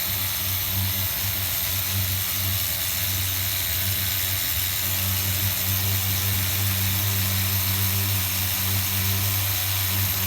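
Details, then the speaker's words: HPI RS4 Nitro F150 pickup RC truck glow engine on 16% nitro, leaned toward race tune with idle gap closed, around 190°F: steady buzzing idle with soft burbly low end; low-speed mixture still slightly rich. "yeah we're right in the ballpark guys we're like at 190 temperature wise and I could hear it kind of getting rich down low still a little bit"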